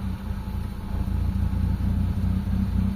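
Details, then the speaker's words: Mitsubishi Lancer GLXi 4G92 manual whose idle drops and stalls in traffic with the A/C on: before cleaning, the idle stays low and slightly uneven with no rise when the steering is turned, traced to a carbon-fouled idle control valve. "Ayan mga boss walang walang reakson mga bossing. Ayan oh. So hindi siya tumataas mga boss."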